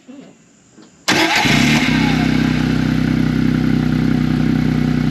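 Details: 2016 John Deere Gator 825i UTV, fuel pressure gauge attached: short crank, then catches into a fast, slightly uneven idle suggesting an intermittent miss; pressure drops when the pump stops, cause unconfirmed.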